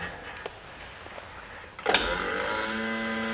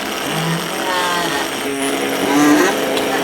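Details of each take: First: Brand-new fuel pump on the bench with an amp probe: after a click it spins up to a steady, even high whine without surging, with a much more uniform current pattern; normal operation. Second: Older fuel pump run with an amp probe on the positive lead: a steady low electric whine with a rough, uneven buzz; it sounds kind of bad and worn but its current pattern is not too bad.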